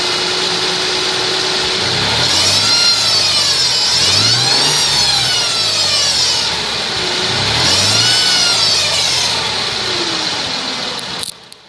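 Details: 2002 Mercedes ML320: high whine from under the car rises and falls in pitch with engine rpm as it is revved; cause unknown.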